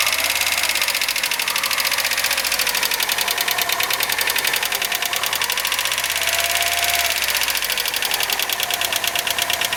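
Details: 2001 Opel Astra Station (Vauxhall/Holden) 1.6L at idle with fast crisp even ticking above the engine note; worn hydraulic lifters, fixed by replacing lifters and oil.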